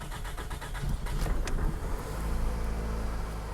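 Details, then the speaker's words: 2006 Toyota Camry that ran rough with vibration and bogging, first start after new ignition coils and spark plugs: catches quickly and settles into a smooth, even idle with the vibration gone. Normal idle after repair. "it's running a lot smoother than what it was previously"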